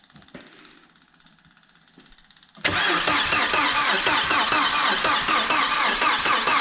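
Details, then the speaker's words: Audi A4 1.8T barn find, 144,000 miles: starter spins at an even steady rhythm for several seconds but engine never catches; no fuel pump heard, temporary fuel feed leaking, cranks but won't start, no fuel delivery. "no Supply yet keep it going smoke that's full we might have to redo this jubile we might have a yeah it's leaking a bit"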